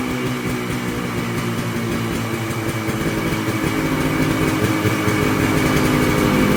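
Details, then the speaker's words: Polaris Colt two-stroke after new fuel parts, cold weather, no choke cable; now idles on its own (didn't before), steady quick even patter but noticeably above normal idle speed. "Well, it's idling. It didn't idle before. Sounds like it's idling a little high."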